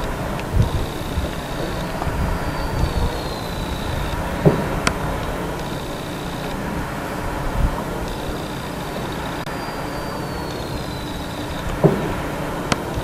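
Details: Ocotillo Wind turbine on 01/20/2015: one blade gives a thin whistle that rises and falls with each blade pass, plus occasional dull clunks at the bottom of the rotation; the blade noise is abnormal.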